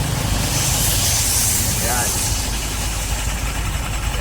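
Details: Honda Click 125 scooter with a noisy CVT, revved: hissy, chirping squeal over the engine note; a dirty belt is slipping on the pulleys, fixed by cleaning the CVT, after which it runs quiet.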